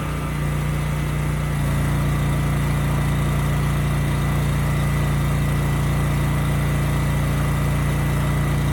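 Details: Used generator HU40500G after new generator head (stator and rotor) installed, under 3,000 W load: steady, even drone with constant low hum, no hunting or misses; engine and power output good.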